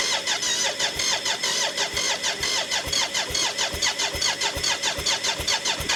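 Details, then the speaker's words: BMW K75 (three-cylinder, coil per cylinder) cafe racer custom, start attempt after rewiring ignition and fuel lines with fuel now at pressure: starter churns steadily about two–three pulses a second, no catch; cranks but won't start. Owner suspects unfinished plenum air intake. "that's uh slightly encouraging i think it's possibly to do with this with the air thing now i haven't closed up the top of my fancy plenum"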